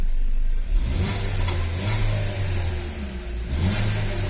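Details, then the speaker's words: Chevrolet Onix/Prisma automatic at 75,000 km with a new original oxygen sensor: the engine climbs smoothly and settles back with no pinging, and acceleration is normal. Knocking occurs only on gasoline, blamed on module calibration for Brazilian fuel rather than an engine fault. "Aí mesma coisa, ó, apertando reserva, carro acelera normal."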